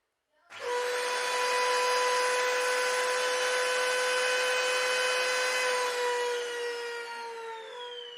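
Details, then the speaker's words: Dyson DC-40 vacuum found in the trash, first plug-in test; spins up to a loud steady high whistle with piercing overtones, then winds down; has the motor seal issue, otherwise runs. "Alright, so it has the motor seal issue, but that's about it. And it ran,"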